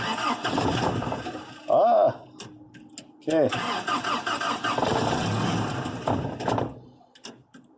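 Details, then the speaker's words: Third-gen Toyota pickup with a new fuel pump: it catches briefly after cranking, runs rough a few seconds, then dies. Fuel is misting from a loosened fuel rail bolt, which needs tightening or a new copper washer. "okay okay so it's firing up and it dies right away i'm gonna give her a couple more shots here okay you can see the fuel is still misting out of there so it still needs to be tightened up or we need to replace that copper washer that's in between there"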